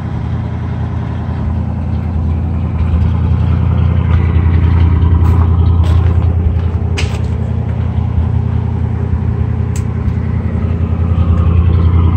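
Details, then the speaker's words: 1973 GMC motorhome with an Oldsmobile 455 V8, idling after a cold start following a few weeks of sitting: deep, even rumble with only light clatter and no miss or stumble. Normal idle. "Sounds like $1 million. Yeah, I know Oldsmobiles, and that sounds fantastic."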